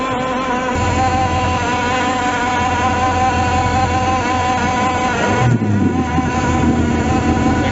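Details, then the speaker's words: Outboard motor running at steady revs, abnormal noise heard as soon as it was started: a rough, buzzy drone with an uneven undertone. "Ese motor tenía un ruido anormal. Apenas lo prendieron, se escuchaba un..."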